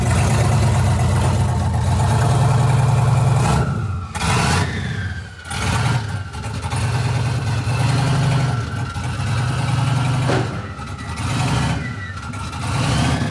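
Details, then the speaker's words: 1967 Chevy C50 truck with turbo LS V8 (7875 turbo, Holley Terminator X Stealth EFI), first start of the build: deep choppy cam-lope idle with rev blips and rising turbo spool whistle; healthy, normal lopey-cam idle with spool. "I want y'all to hear what this thing sounds like. It sounds freaking amazing. You can hear the cam chop, and you can hear the turbo spool at the same time."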